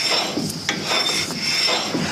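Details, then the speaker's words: Holden HG Monaro front brake disc rotated by hand during a brake inspection gives a dry scrape once per turn. A surface rust patch where the pads sat, from the car sitting a while, catches the pads. It binds slightly in that spot, is nothing to worry about and should wear off. "It's a little bit rusty just there. Just surface rust. And every time it passes the pads, it creates that noise. So, it's nothing to worry about."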